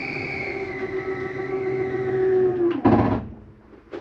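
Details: 2023 Flagstaff Superlite 29RBSD travel trailer, bedroom slide-out retracting: an even motor hum dropping slightly, then a short grinding clunk at the stop. This is normal end-of-travel noise, not a fault.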